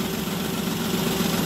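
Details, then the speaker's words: Toyota Wigo at idle around 900 rpm (normal ~750), blinking check engine light, rattling worse with A/C on: uneven, shaky idle with wavering hum. Misfire from a broken injector wire, a dead cylinder. "So Ayan mag Naga ano yan rattling yung ano makina nag nagk kwan siya ano na- rattling Sir m mm so naka-check engine tapos pag nag-air conon rattling ang makina niya"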